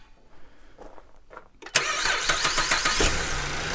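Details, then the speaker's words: 2011 Buick LaCrosse CXS in cold weather, after a battery that tested good was fitted for slow cranking: brief brisk cranking for about a second, then a clean catch and steady idle; starting is healthy, though owner suspects the starter may be failing. "That sounded good to me. I think these cars have a slow start no matter what, and that could be the starter's on its way out, so we'll keep you updated on that."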